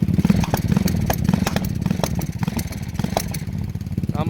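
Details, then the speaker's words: Lifan clone single-cylinder minibike (KP Mini 300 ZS175FMN or 250 167FMM), which was hard to start that day, idles with an uneven beat and skipped, stumbling firing pulses. It misfires intermittently. "and now wants the misfire yeah it does this sometimes if you've never heard a single cylinder misfire that's what it sounds"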